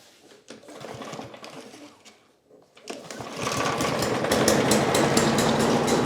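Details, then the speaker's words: Husqvarna 5521P push mower, salvaged from trash, with a bent crankshaft, finally starting after a spark check: lumpy, uneven running with coarse pulses about three a second; owner suspects a stuck choke making it run super rich. "It actually started that time. Sounds like we got a choke stuck on. It's sitting there running super rich."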